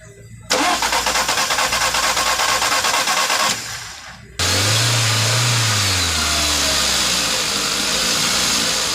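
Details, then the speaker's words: VW Vento petrol engine after fixing a jammed fuel injector that caused misfire, check light and loss of power: after loud clattering it starts cleanly, flares briefly and settles into an even idle; misfire completely gone, normal start and idle. "जैसे कि देख सकते हैं missing बंद हो गया, एकदम perfect हो गया, जरा सा भी मिसिंग नहीं है।"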